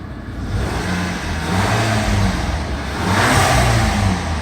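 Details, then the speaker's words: Volkswagen GTI with brand-new professionally installed crate engine, probably under 200 miles, after side collision (check engine lights on): engine revs up smoothly and settles back with no knocks, ticks or misses; healthy, clean-running motor. "beautiful no problems with this motor absolutely zero it's brand-new crate motor"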